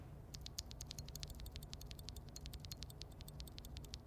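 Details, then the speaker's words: Glorious Panda tactile MX keyboard switch, lubed: each keypress gives a sharp click then a faint high metallic ring; leaf spring tick or ping, which is harder to fix than coil spring ping. "the glorious panda has a particular leaf spring tick noise or ping that could be a problem to some users"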